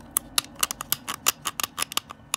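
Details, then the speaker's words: 2005 Porsche Cayenne S folding mirror motor, tested with the door cover off: sharp, uneven clicking and crunching, about five snaps a second, as the cracked plastic gear grinds and skips teeth. "but because that gear is cracked it's cracked and that's what's making it do that noise okay"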